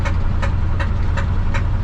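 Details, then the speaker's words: 1968 Ford F100 on a test drive after a water pump install: sharp, heavy metallic knocking about 160 a minute over a deep rumble from the bottom end. Temperature and oil pressure still good; owner suspects a torque converter or a thrown rod. "knocking ticking clanking all kind of things hear that knocking i hope i can make it to the house before it goes off"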